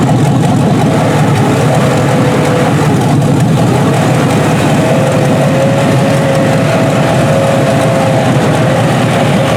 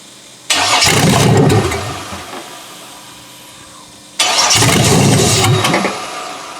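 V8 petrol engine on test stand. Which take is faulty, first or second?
second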